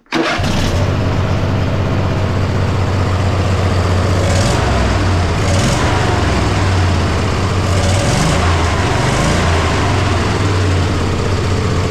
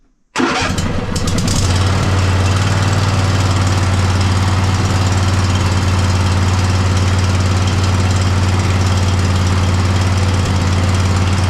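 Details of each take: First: Poulan mud mower V-twin after the fix: a slipping torque bit had left something untightened, now properly tightened. Strong, steady run with quick throttle blips rising and falling cleanly, no misses or popping; better throttle response and it starts easily. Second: Poulan mud mower twin-cylinder engine after both plug wires were reconnected. It settles into a rough, uneven idle with a recurring stumbling beat, still misfiring. Owner suspects a fuel/air issue and plans to remove the carburetor next; cause not confirmed.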